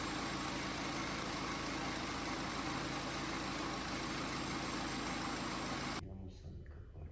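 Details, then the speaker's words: BMW X5 diesel idling with the accessory belt removed: even diesel clatter with no squeal or whistle, so the fault lies in belt-driven accessories: pulley, rollers, AC compressor clutch or alternator. "Ну сейчас же у нас звука нету э когда заводишь без ремня без ремня Нет это что-то из навесного то есть либо это полта либо это ролики либо это мека компрессора Ционе либо это генератор"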